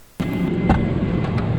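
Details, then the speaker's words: 2007 Toyota Tacoma, hood open, engine idling: thin steady high whine over the idle rumble from a failing alternator that runs very hot; owner smells burning when driving and suspected a pulley. "the issue that this specific alternator is having if you can already hear it is a little bit of a whining sound"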